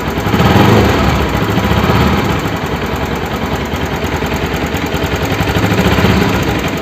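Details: Bajaj Pulsar NS200 engine running with loose, uneven clattery thumping about three beats a second over exhaust drone; abnormal engine noise, cause unclear.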